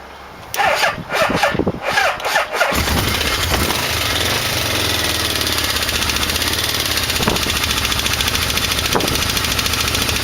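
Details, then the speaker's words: 1989 Yamaha V-Max, carbs just synchronized, on a weak battery with a choke that won't stay on: cranks, catches, then a fast rough idle with a sharp regular knock. Owner says it isn't a rod and suspects the balancer. "thought well I'll just go drive it and the knock is just horrible it's not a rod I don't know what it is some kind of balance or in there or something"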